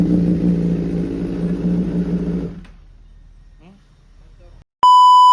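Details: 2011 Honda CBR1000RR Fireblade (999cc inline-4 DOHC, liquid-cooled) with stutter, sluggishness and power loss; sludge-like dirt was found. Reassembled with the tank just refitted and coolant not yet filled: even, stable idle hum, then cut off; timing good, much better than the first test.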